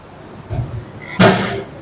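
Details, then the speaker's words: Caravan entry step, sheet plate never welded to the two mounting beams leaving small gaps, stepped on: sharp metallic clang and slap of the loose plate banging against the beams. "That noise is the most annoying noise in the world. And it exists. Let's show you why it exists. So, we've got some small gaps between the underside of the sheet and the two beams that we welded across to mount the step, but we never welded the sheet to the beams."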